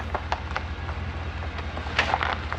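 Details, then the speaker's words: Ford F-550 on its first time on dirt, an unbolted plywood flatbed with no tie-downs: sharp wooden cracks and snaps pop irregularly over a low engine drone as the frame flexes and twists, stressing the wood platform. "that is the piece of wood flexing as the frame flexes so you can hear right there that's how much these frames do Flex on trucks"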